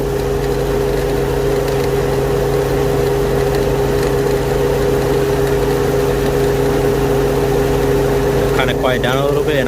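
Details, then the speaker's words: Infiniti M45 with VK45DE V8 at idle, AC compressor not working: constant mid-pitched whir that gets louder when the belt tensioner pulley is touched; the vibrating pulley is suspected as the source. "all right so there's the sound you guys can kind of hear it now when I touch it it's actually making more noise now"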